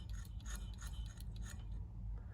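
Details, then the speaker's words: Olivetti M280 80286 MFM hard disk shaken by hand, not powered: light loose metallic rattles inside the sealed case; owner suspects a damaged head lying on the platter, not confirmed. "So the head is probably damaged and it's laying directly on the platter."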